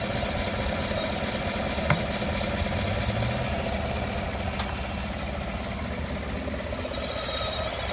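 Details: 2015 5.3L V8 truck, 8k miles, idling after a drive with fans, AC, heater and accessories off: light uneven intermittent tick over steady hum, coming and going, loudest passenger side near headers; belts fine, cause unknown.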